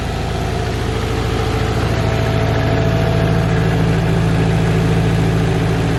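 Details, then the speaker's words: Subaru STI engine after a refresh and repaint, first runs, not yet fully warmed up, coolant not yet bled: steady even low rumble about three pulses a second, no misses or knocks; healthy idle; clip ended early over the upper radiator hose. "like you guys just saw it's running and idling"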